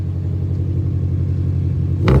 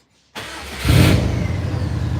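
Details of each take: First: Cold Subaru Forester with a Cobb, just set to run as a manual. It idles around 1100 rpm, then three throttle blips that each rise ragged and uneven; the owner says the ECU is still learning and the engine is cold. The cause is unconfirmed. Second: Subaru Forester with a Cobb plugged in so the car thinks it's a manual. On key-on the fuel pump and gauges come up with no security light. A short crank, then it catches cleanly to a smooth fast idle. Normal start.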